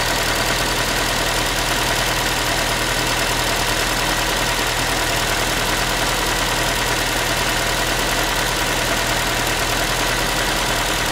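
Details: Ford Focus 3 1.6 (125 hp), manual, steady cold idle after cold start: tinny pan-like metallic rattle over the engine; source unknown, owner asking what it is.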